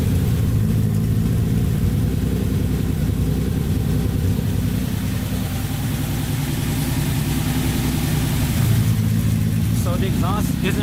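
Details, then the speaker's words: Datsun 280Z first start after engine rebuild, running slightly rich, held around 2,000 rpm: steady, even, fairly loud exhaust drone with no knocks or misses; freshly rebuilt engine sounds healthy. "that sounds pretty good what was that like 2,000 rpm all right so this is how it sounds without digs on funder actually pretty loud"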